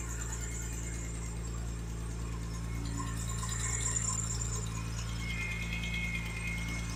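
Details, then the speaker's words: BMW E46 M3 sat 10–11 years unused, at idle: low steady rumble with thin high chirps and squeals coming and going, accessory belt slipping on a rusty alternator pulley; owner hopes it's surface rust. "So let's go ahead, start it up. I'm going to show you what it sounds like right now, which is absolutely terrible."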